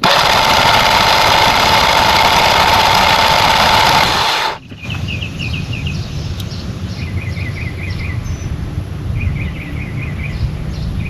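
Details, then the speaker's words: Generac 20kW whole-home generator after replacing the mixer assembly; the vacuum hose to the air mixer had not been fully pushed on and was reseated. Loud, fast, even cranking for about four seconds that stops without catching. It sounds like it's hitting hard; hard cranking, no start. "I'm going to check the oil because it sounds like it's hitting really hard and I don't understand that"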